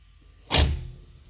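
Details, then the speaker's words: K24-swapped Honda CRX, engine off: one short dull clunk on snap throttle as the throttle cable pulls the sticking throttle-body butterfly plate free after a throttle body fix; car drives fine, aiming for improved idle. "As you guys heard that little clunk, that's the, you know, the the throttle cable pulling on the plate to open it cuz it gets stuck."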